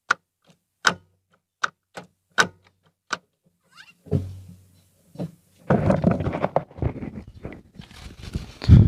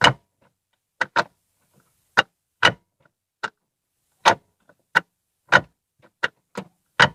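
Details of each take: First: Ford Fiesta after repair, mic in same spot as before test (cover removed): short clean clicks as each gear engages, no grinding; earlier crack noise when shifting, worst in second, gone, shifting back to normal. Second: Ford Fiesta Zetec Rocam manual gearbox, mic beside the transmission, gearbox oil near correct level: sharp metal-on-metal clacks in quick pairs and singles as gears engage, especially second; suspected loose or worn shifter linkage.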